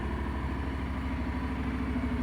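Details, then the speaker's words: Honda NC750X DCT motorcycle, cold start on choke: even, quick low thrumming at raised idle with no misses or knocks; runs smoothly, normal fast idle. "Ładnie sobie chodzi teraz jest na ssaniu wiadomo ma podniesione podniesione obroty"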